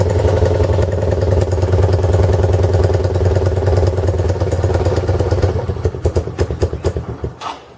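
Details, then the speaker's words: 2015 Honda CB1 125cc single, electric start with choke off after kick start on choke; strong, regular thump at idle, then spaced pops dying cleanly at shutdown; normal running. "she's idling look at this it's a honda she's island oh damn nice man this is this is cool"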